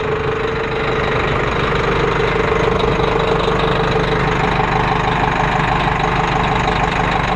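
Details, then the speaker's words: 1998 New Flyer D35LF bus diesel idling while air tanks fill; compressor note drops out as the air governor cuts out with primary and secondary tanks full, normal. "all right so hopefully you guys heard that that was the governor kicking off though that the air tanks are full"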